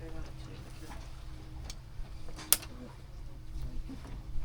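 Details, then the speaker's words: Helm shift lever for the suspect port Yanmar 4JH57/SD60 saildrive on a Leopard 48 catamaran, recorded at the helm: two crisp, isolated clicks a couple of seconds apart over a quiet background; normal detent click. "Okay, so there's the normal click here."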